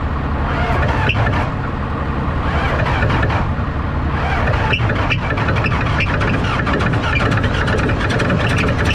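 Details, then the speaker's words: Dead-row auction Dodge truck cranked with a boost pack and both batteries charged. Steady, heavy, uneven starter churning drags the engine over. The owner suspects water in a cylinder, which is unconfirmed, and plans to crank through it. "I got the Boost pack on it I got the old cromin hooked up to it and I got both batteries and the truck charged up and I'm just going to crank right through it that that'll be fine"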